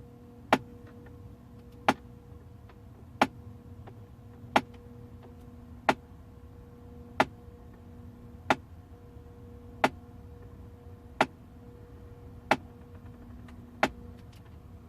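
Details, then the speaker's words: 2008 Audi A6, HVAC flap basic-settings adaptation after ignition on: sharp evenly spaced clicks about every 1.3 s over faint motor hum from under the dash; suspected faulty HVAC blend flap actuator, not confirmed. "I don't know if you can hear all the motors moving and we can hear that one already making that noise"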